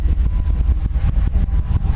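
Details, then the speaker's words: 1998 Dodge Viper V10 on first start after a dry sump install: deep, lumpy idle with strong uneven pulses and no clear knock; gauge shows little or no vacuum, cause unknown and still to be sorted; no leaks seen; low idle vacuum. "Showing no vacuum right now, minimal if anything. Can't tell if anything's going on there."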